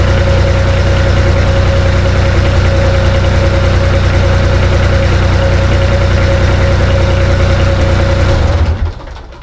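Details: Bomag BMP 8500 compactor diesel: steady single-cylinder chug at even idle for about eight seconds, then clean shutdown; idles smoothly.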